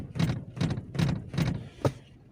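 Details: Toyota Corolla driving over bumps, empty front passenger seat with play in its mechanism thumps and knocks, mistaken for suspension noise, no knock when someone sits in it; seat mechanism rattle.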